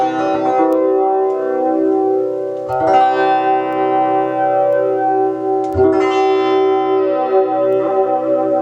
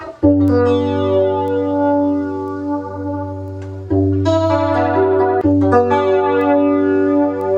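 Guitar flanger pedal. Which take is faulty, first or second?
second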